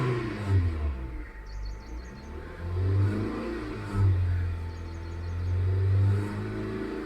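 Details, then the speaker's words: Hyundai i20 petrol that started then died, ECM powering the fuel pump only a split second; now holds continuous throttle, climbing and dropping through revs cleanly without stalling; normal revving. "இப்போ பாருங்கள், oscillator கண்டினியூஸாக கொடுத்தாலுமே நல்லா run ஆகிட்டுருக்கு என்ஜினை."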